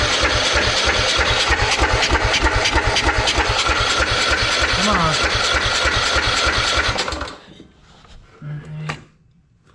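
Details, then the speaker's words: Old Troy-Bilt riding lawn mower long left sitting, choke off: steady starter cranking about three beats a second for seven seconds, engine never catches; cranks but won't start, fuel coming through but maybe not reaching the engine. "that choke off. Try again. Alright. That's not working."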